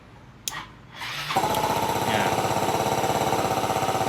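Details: Yamaha Mio 125 RR being checked for no-start and fast battery drain: short starter whirr, the engine catches within a second and settles into an even, quick idle putter; starts normally, battery near 12.5 V.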